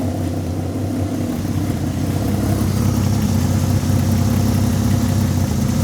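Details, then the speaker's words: Peugeot 206 with swapped VR6 engine, restarted after replacing power-steering pump O-ring: smooth even idle with steady low hum firming up over seconds, no stumble; no leak seen, runs rounder as it goes. "Ça a l'air nickel, tu vois. Ça tourne vraiment nickel là. Plus ça va, plus ça tourne rond."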